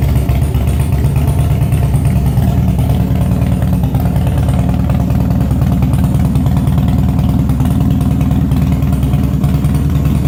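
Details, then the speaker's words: Harley Twin Cam with Andrews 26 cams, new timing chain and carb mixture set about 2-1/4 turns, idle adjusted: deep, uneven V-twin cam lope that holds steady without stumbling; runs well. "Lope. It's never going to idle like a Honda, and that's not my objective anyhow."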